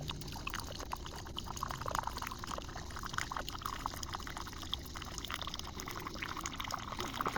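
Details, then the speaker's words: Keurig K-Mini Go after control board replacement, which fixed a high-pitched whine and no power: steady soft pump hum with water pouring and trickling evenly, no whine or stalling. Normal brew cycle. "So, with this test, we proved that the unit functions with no restrictions."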